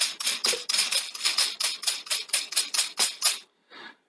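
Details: 1982 Sony SL-C6 Betamax deck loading with quick high-pitched squeaky chirps about twice a second, then stopping; the noisy loading mechanism likely needs its shafts cleaned and lubricated.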